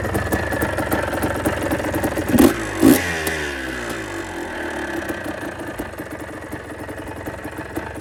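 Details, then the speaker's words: About 40-year-old Kawasaki KDX200A two-stroke enduro, first start after an engine rebuild with the crankshaft bearing fixed and some pattern parts: two quick throttle blips, then a smooth, even idle with no bottom-end rumble or rattle. Healthy. "I'm really pleased how the engine sounds. It's so much smoother as well with that crankshaft bearing sorted out."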